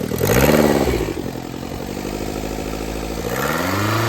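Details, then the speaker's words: Daihatsu Mira with a block-off plate fitted: engine starts and revs, then settles into a rapid, uneven puffing tick near 3 per second; a cracked exhaust manifold leak is suspected, not confirmed. "See, like this sound right here sounds like an exhaust leak from right here."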